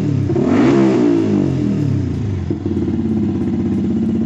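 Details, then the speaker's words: Motorcycle after cleaning the clogged fuel injector: starts easily, picks up cleanly on the throttle, pitch climbing and settling smoothly with no stumble or stall; normal revving after repair. "langsung bisa dinyalakan nya normal ketika di gas"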